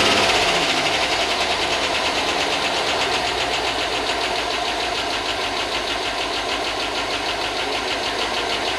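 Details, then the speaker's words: Chevy Tahoe 5.3 LS V8, long unused, just after first start following a ground repair: a fast, even light tick at about three to four per second over a steady idle; the owner thinks it is only lifters, oil good. Not confirmed. "it's ticking like I just sent you a video. It's ticking. I think it's just lifters though."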